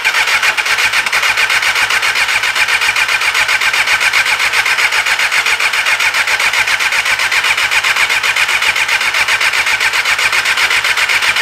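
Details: 1988 Kawasaki ZXR250 four-cylinder 250 road bike at the start of a rebuild, cranked on bigger jumper leads: fast, even starter whirr with no firing at all. Owner suspects no spark; connections not yet checked. Crank, no start.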